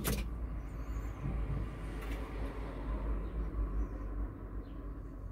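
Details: Aixam Mega Multitruck diesel van just after a glow-plug start, fresh Fulmen battery and oil change at the garage: quiet, steady low rumble settling into an even idle, no knocks or stumbles; healthy.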